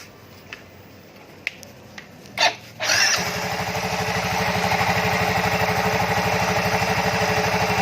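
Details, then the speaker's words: Yamaha Fino 125 FI scooter after fixing oil circulation (oil filter passage among two causes), previously rough and weak: catches after a few cranks, settles to smooth even idle about two beats a second, no knocks or rattles. "Udah halus lagi. Nih dengerin di sini dulu. Nah ini suara-suara mesinnya udah kembali seperti semula."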